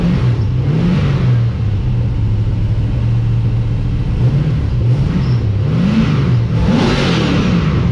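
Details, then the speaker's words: First start of an LS1 V8 in an XG ute, with a better carby and a custom full exhaust without a further muffler; deep mellow burble at idle swelling smoothly through throttle blips and settling evenly, quiet down low, loud up top; normal V8 idle and revving. "all right very happy with how it sounds it's actually pretty quiet and mellow down low so i don't think i'm going to put another muffler on it"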